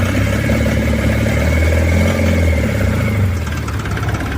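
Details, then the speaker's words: Old-model Mahindra Supro diesel without power steering, previously crank-no-start due to ECU fault, after ECU board serviced and reconnected: starts and settles into even, steady idle clatter with no misses or knocks. "ഇനി നമുക്ക് crack ചെയ്തു നോക്കാം start ആകും അപ്പ വണ്ടി start ആയിട്ടുണ്ട്"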